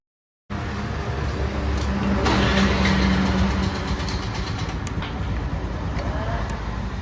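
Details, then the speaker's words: 2015 Honda Dio scooter at about 79,000 km with a noise at starting for several days; starter cranks, engine catches, but a rough gear whirr continues into running because the starter pinion is stuck engaged, slated for replacement. "ഒരു two-wheeler work ഷോപ്പിൽ കൊണ്ടുപോയപ്പോഴേ ആ പയ്യൻ ഒറ്റ സ്റ്റാർട്ടിങ്ങിൽ തന്നെ പറഞ്ഞു അതിന്റെ pinion stuck ആണ് എന്നുള്ളത്"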